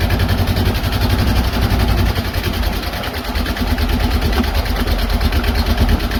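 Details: Box truck small-block Chevy V8, low compression, refired after refilling a cracked, leaking radiator with water: heavy low idle with an uneven, stumbling beat around two pulses a second, missing and lurching; head gasket issue suspected.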